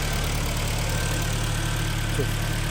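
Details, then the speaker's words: 2010 Hyundai ix35 G4KD, front-wheel drive, manual, 350,000 km, after engine rebuild for scored journals and spun bearings with heavy knock: even steady idle, smooth low hum, no knocking, far better than before; catalytic converter removed. "Нормальное ну работает вроде неплохо значительно лучше чем было да"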